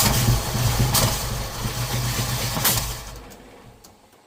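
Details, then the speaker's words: Ford engine with Holley Sniper 2 fuel injection: rough, uneven start with sharp pops before fading out, blowing out one side most; backfiring from incorrect ignition timing, owner also wondered about too much fuel. "Okay, I'm not sure why it keeps backfiring like that. Or I guess maybe too much fuel. I don't know. It seems like it's blowing out of this side the most."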